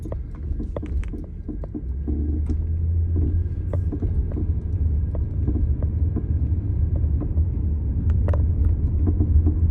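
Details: 1999 Lexus LS400 while driving: sharp, irregular clunks and knocks, spring-compressing and loose-part sounds over low road rumble; suspension clunk.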